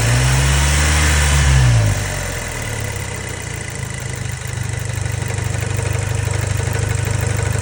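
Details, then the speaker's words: Neglected Audi B7 A4 daily driver after a track day, logged over a suspected N75 issue: after a throttle blip it settles to idle with a steady tick-knock about 3.5 times a second; owner fears possible overboost damage such as a bent rod, cause unclear. "I started to notice some knocking or some not really friendly sounds coming from the engine bay."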